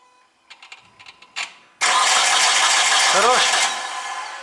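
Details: Mitsubishi Colt with error P0335 (crank sensor), after moisture and long standing: starter cranks steadily with a hissy whirr but never fires; crank and cam signals present, fuel pump heard; cause unconfirmed.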